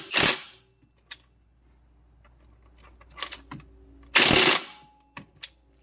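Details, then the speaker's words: 2007 Pontiac Grand Prix 3800 Series III, front crankshaft seal job, impact wrench drawing the harmonic balancer on: two rattling bursts, the later one a sharper pinging tone as the balancer bottoms out on the crank. "you can hear the sound change too when that happens you know it doesn't uh doesn't sound the same it starts to make a different pinging or tinging sound and then you know it's bottomed out and you can put the belt back on"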